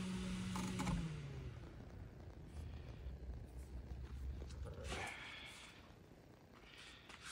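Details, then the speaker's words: Bathroom exhaust fan after spraying with WD-40: it hums low and steady with no squeak and runs smoothly now, where it was noisy before. "it was making some noise when you uh plug it in but uh it still works it was working but it will make a lot of noise so let's plug it in you see he's making a like really uh noise now it sounds really good now"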